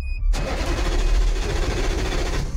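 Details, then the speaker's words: Vehicle that intermittently won't start by key, after an electrical bypass wire: the starter spins the engine steadily for over two seconds but it never fires. Crank, no start; engine oil level and its sensor suspected. "Ayaw tumuloy. >> Ayaw tumuloy."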